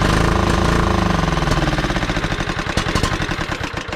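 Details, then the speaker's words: John Deere LX255 lawn tractor, Kohler 15 hp engine, sat for years; loud rapid single-cylinder popping near four beats a second catches on starting fluid, then fades and slows as fluid burns off; fuel supply needs fixing. "oh too much Stark flu he does this thing have a muffler on it holy it looks like it does is it hooked up this thing's loud I mean she runs pretty good"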